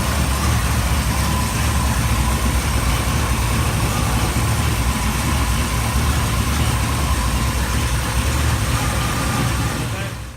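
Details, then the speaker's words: Chevy engine idling after a one-wire alternator was installed: steady, even idle with a smooth low rumble and no knocks, ticks or whine; the alternator is charging properly. "so there you are I finished putting everything together and it works well to charge properly sounds nice I like it"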